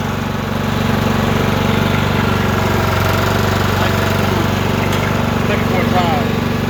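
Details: Troy-Bilt mower after drive belt (754-0468/754-0467) replacement: even, steady single-cylinder chug with no knocks or squeals; runs smoothly, though loose engine bolts make it shake and bang at shutdown.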